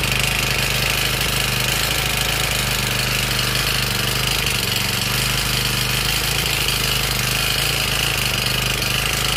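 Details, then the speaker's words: Honda GX35 brush-cutter engine over 10 years old and never rebuilt, after setting the coil gap to 0.20 mm and the exhaust valve clearance: a fast, even run with a dry clatter on top; the noise dropped only slightly, and worn, loose piston rings are the cause. "ครับโอเคนะครับก็ได้นิดหน่อยแต่ที่ดังที่ดังแบบนี้ก็เข้าดังแหวนนะครับ"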